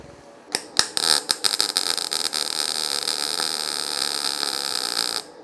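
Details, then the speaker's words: YesWelder FIRSTESS MP200 5-in-1 in MIG mode on 20-gauge sheet after raising voltage from the lowest 18-gauge setting: crackling sputters settle into a steadier frying hiss, not fully smooth; the arc settles and the weld goes through, though the bead is tall. "it's getting better [Music] [Music] okay it did weld it"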